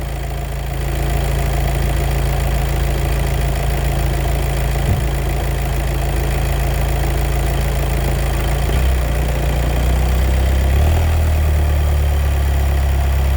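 Steady idle with a low uneven rattle riding on it, changing tone near the end; clutch noise from the dual-clutch gearbox, cause unknown.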